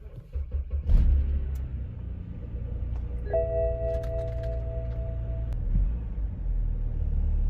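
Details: BMW X5 E70 with drivetrain malfunction warning; uneven idle sags and recovers, tachometer bouncing, nearly stalling, warning chime sounding; caused by faulty VANOS solenoids.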